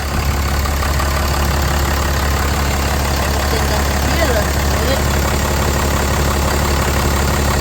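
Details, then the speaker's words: Ram 3500 idling after heater core supply hose replacement, left running to build coolant pressure: deep, even idle, constant low drone with no ticking, knocking or surging; belt looks good, truck running healthy. "Running, the belt still looks good. Coolant has good. I'm going to let the system build up some pressure. I'm going to leave it running."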